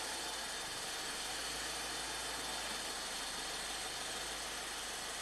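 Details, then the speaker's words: Ford EcoBoost van chasing an intermittent P0106 MAP code: with a cam solenoid jumpered or unplugged the engine stalls, then on restart idles with fast, loud, even clicking; the cause is not yet found. "it just stalled out it just stalled out let's see crank it again it's dinging and dinging or clicking really loud clicking really"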